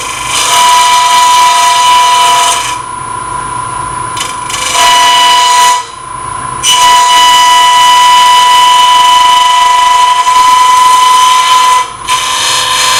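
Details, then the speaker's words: Lathe turning an open segment vessel at relatively fast speed, tailstock out, very light cuts with a smaller gouge; at the bloodwood layer below oak, loud high ringing cut with fast uneven flutter as segments bounce – tool chatter from vibrating workpiece. "i've gotten down to where this bloodwood piece is the difference is you could tell the sound how that thing's bouncing around"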